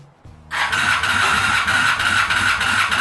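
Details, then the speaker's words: Honda Shadow V-twin, first run: a loud, uneven open-pipe idle with an occasional cough back through the carburetor. The vacuum ports are not blocked off, so the mixture leans out when it sucks in air. "and also i'm getting a little uh card cough but that's kind of normal none of my vacuum points are actually like blocked off like they should be"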